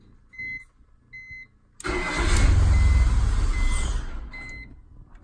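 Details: BMW E46 with check engine lights and stored codes: chimes, engine cranks, catches and idles with uneven low rumble sagging toward a stall; rough idle then stall, cause not found.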